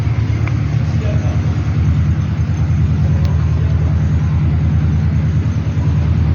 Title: toyota istima engine knocking problem balancer gear #automobile #mechanic